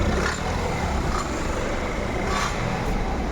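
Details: Citroen with a steady running engine and a rough, dense clatter knocking near the engine; source uncertain, suspected hose clamp or something internal, not confirmed.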